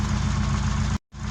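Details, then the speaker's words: Opel Kadett engine at idle after a faulty number one fuel injector was sorted out. Steady, even low rumble with no misses or knocks; it revs clean and drives smooth. Normal idle. "So now the car is revving clean. It's idling properly."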